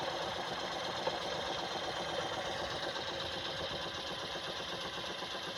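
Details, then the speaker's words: 1979 Jensen Model 50 steam engine: quick light even chuffing about four beats a second with no knocking; runs nice and quiet, normal. "a nice running engine it's nice and quiet"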